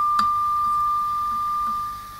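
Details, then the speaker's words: Hand-wired Vox AC15 with nothing plugged in and a Westinghouse tube in the first preamp stage: a steady high squeal near 1 kHz holds for about two seconds, then fades. The microphonic tube is oscillating on its own and needs replacing. "this is nothing plugged in that's just that it's just a tube oscillating within itself that's disappointing"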